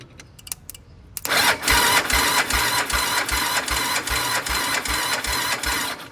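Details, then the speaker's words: Kawasaki Bayou 300 4x4 quad bought non-running, with the starter solenoid jumped directly. A few light clicks, then even cranking at about 2.5 chugs per second, so the starter works; the solenoid gets no click, and power to it is suspected missing. "So that tells me that the starter's working. Bypassing the solenoid, the starter works."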